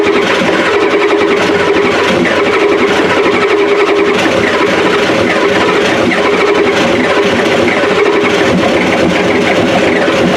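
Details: 1993 Ford F-250 7.3L IDI diesel after new injectors: loud, harsh clatter with uneven, choppy beat and no smooth idle; owner suspects injection pump severely out of time; water pump squealing belts, pump timing and water pump still to fix.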